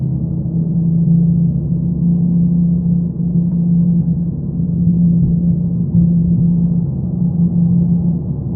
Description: A neutral and amplified recording of a droning noise from my 2015 Mazda 3 sedan.